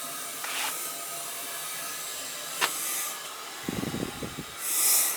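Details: Oil-fired boiler being refilled after a no-hot-water and leaking repair, purging via the high vent: soft hissing spurts of escaping air with a few gurgling bursts as water fills; normal purge.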